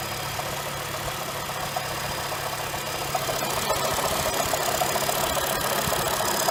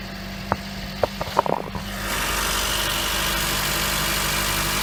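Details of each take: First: 2007 Honda Fit cold idle: light, fairly even tick-knock about three or four per second over the engine, first suspected rod knock or piston slap, traced to a worn AC compressor pulley bearing (replaced with NSK 35BD219DUM). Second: 2007 Honda Fit after replacing the AC compressor pulley bearing (NSK 35BD219DUM): a few sharp clicks, then the engine catches and holds a steady, even idle with no knocking left; repair successful.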